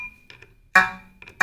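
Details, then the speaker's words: Shruti box opened for G-reed buzz repair: the other reeds give short, clean notes with a steady pitch and no buzz or rattle. These reeds are normal. "others are normal"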